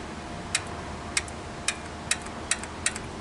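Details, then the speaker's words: 2008 Honda Pilot with code P0976 shift solenoid B low input, solenoid bench-powered: six crisp clicks about half a second apart; solenoid switching so likely good, fault possibly in harness to computer; solenoid to be replaced anyway. "It's clicking. Now, that would mean that this solenoid, it should mean that it's good."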